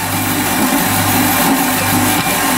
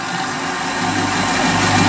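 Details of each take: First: Bandsaw slowly hand-fed through 25mm titanium: a loud, steady cutting roar with a low throb pulsing about every 0.8 seconds under load. Bearings suspected, not confirmed. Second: Saw cutting a 25mm thick titanium 6Al-4V block: even, steady hiss and rasp of the blade working through with no chatter or squeal; cutting cleanly and fairly straight, chips cleared periodically since they can catch fire.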